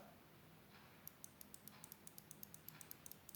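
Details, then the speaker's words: Microsoft computer mouse, microswitch cover refitted the right way after contact cleaning, fixing double-click problem: crisp, sharp, distinct clicks about seven per second; button switch working properly again. "entend le bruit du microcontacteur, tout va bien. Donc il a été remonté dans le bon sens et ça fait à nouveau clic quand on appuie dessus."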